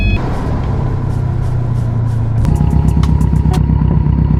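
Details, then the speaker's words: Subaru STI hatch, modified engine: a rough, loping idle with uneven stumbling pulses; the owner suspects one dead cylinder from low compression and plans a compression test on every cylinder before pulling the engine; misfire. "that car is not happy not happy at all"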